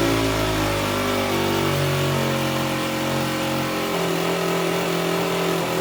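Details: Aprilia SR50 Purejet scooter, Piaggio two-stroke, after rebuild with original cylinder and piston refitted, pulling cleanly through its revs and settling without misfires or hesitation; engine healthy, now reaching 9000 rpm.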